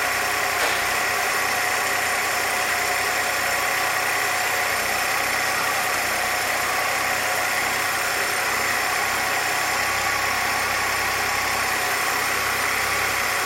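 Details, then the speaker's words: 1966 Chevrolet C20 with 292 inline six, first run after rebuild, idle mixture tuned by vacuum gauge; steady, even idle with smooth unbroken note, no knocks or misses; vacuum about 17, rings still seating; normal idle. "Other than that, starts right off with the turn of a key. Idle's real nice, so I think we're good to move on."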